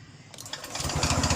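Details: Kawasaki Ninja motorcycle restarted after flood damage, after exhaust removal and air filter replacement: short crank, then catches and settles into an even steady putter with no misses; starts and idles cleanly.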